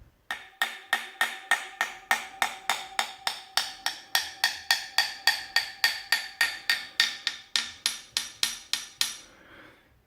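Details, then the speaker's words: Spoon tap test along a carbon fibre bike component: bright metallic ring at top and bottom, clear hollow note in middle, no dead note — healthy, undamaged carbon. "can hear this more metallic at the top on the bottom and hollowed on them what in the middle obviously that's because I'm tapping on a hollow carbon ship"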